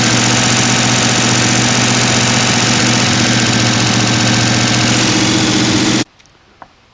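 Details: Mostly stock rebuilt Mopar 383 V8 with all lifters now confirmed turning: steady, even idle with a smooth firing rhythm, no lifter tick or knock, before shutting off; sounds healthy.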